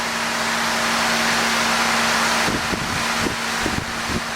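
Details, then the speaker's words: 1966 Chevy truck electric fan, wired to run even with ignition off; strong steady rush of air over a low even hum with a few bumps near the end; blowing hard and healthy. "I do have the fan rigged up so it turns on even if the ignition's off. I guess that's a good thing. It blows a pretty good bit of air."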